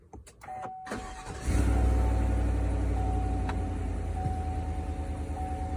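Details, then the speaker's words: 2020 Chevy Silverado Trail Boss 5.3 V8 just after swapping OEM air filter for K&N high-flow filter: short crank, catches and settles into smooth even idle, no knocks or misses, slightly deeper tone than before; normal start and idle. "Actually does have a little deeper tone to it."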